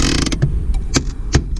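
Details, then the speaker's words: Handbrake lever on a 2003-2007 Honda Accord Coupe V6 6-speed manual with newly replaced, tightly adjusted e-brake cables: slow, uneven ratchet clicks under heavy resistance, pulled hard; normal parking brake ratchet. "mine's is 3 clicks and it's a lot of resistance. 1, 2, 3. Takes a lot of resistance, a lot more than when it was all the way loose like that."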